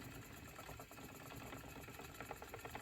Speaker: A little squeak in my wheel, as you can hear.